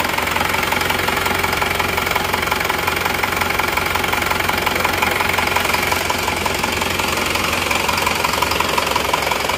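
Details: Isuzu Panther LS automatic diesel, rebuilt for the fourth time in seven months, first start: steady, very even hard knocking at idle, about three beats a second, from an oversized 13 mm rotor head in the injection pump.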